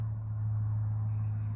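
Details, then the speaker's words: 2002 Chevy Silverado 1500 extended cab after fuel pump replacement through a cut bed access hole: fired right up, steady even idle with no knocks, ticks or whine, no leaks, no codes; normal idle. "Fired right up nicely. No leaks. I can hear it. No leaks though, so that's good. No codes."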